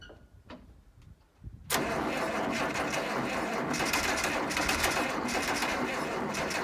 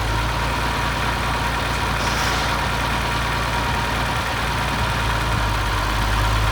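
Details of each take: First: 1972 Massey Ferguson 1100 94 hp diesel tractor, abandoned and sitting long, started with starting fluid: a few quiet cranks, then catches with a sudden loud snort and settles into a fast, steady clatter; engine starts. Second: 1972 Massey Ferguson 1100 diesel tractor, 94 hp, long-abandoned, just revived with starting fluid: deep, steady diesel thump at idle, a firm low rumble with no misses; normal idle.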